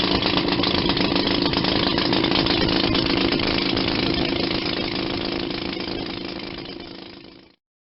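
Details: 1940 Maytag model 72 twin-cylinder, air-cooled washing-machine gas engine, rebuilt with new rings and gaskets after being tight: crisp, even popping at about four beats a second, steady until the sound fades. Normal running.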